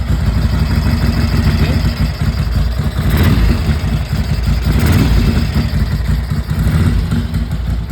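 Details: 1982 Ducati 900SS V-twin, first kick start after 15 years sitting and carburettor rebuild, carbs flooded with tickler; steady even low burble settling into clean idle, no misses, normal idle.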